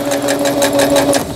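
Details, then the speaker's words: Singer Stylist 7258 sewing machine after repair of an E4 stop-mid-sewing error, a misaligned lower-shaft gear, a sensor fault and a slipped timing belt; straight stitching gives quick, even needle ticking over a steady motor hum, with no knocks. Normal. "반달무늬 다시 돌아가서 직선 바느질로 하겠습니다."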